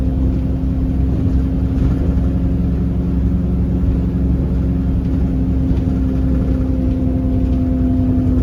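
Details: Enviro 300 bus on 27631: loud steady diesel drone with constant hum on top, unchanged throughout; abnormal engine noise, cause unclear.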